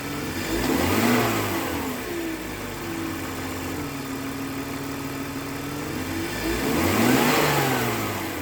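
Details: 2001 BMW 325Ci, M54B25 engine: two revs rise and settle back to a steady idle with a busy mechanical clatter throughout; owner finds engine noisier than normal, cause unknown.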